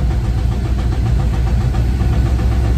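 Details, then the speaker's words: Van engine at cold idle: dull uneven low knock under rough engine hum that quiets under load and returns when stopped; owner says it only sounds like rod knock to someone who doesn't know and has known the issue since buying van, cause not pinned down. "I knew that issue was what it is ever since I got the van. Kind of sounds like a rod knock to someone who doesn't know."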